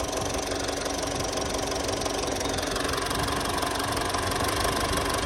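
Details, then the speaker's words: Mitsubishi Triton L200 or Toyota Hilux diesel, crank-no-start with P0093, after replacing failed fourth injector, filter and sensor: steady idle with even clatter about four beats a second, no misfire; normal diesel idle after repair. "نشغل ما شاء الله هيك الوضع ان شاء الله 100% على السياره"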